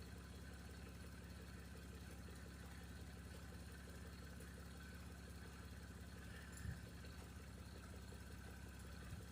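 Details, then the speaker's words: 1989 Toyota Cressida that sat for years, just revived: quiet steady low idle with an even beat, no misses or knocks; brief startup smoke cleared. Normal idle. "Alright guys, that was it. It started. Smoke there a little bit at first, but it's already cleared up."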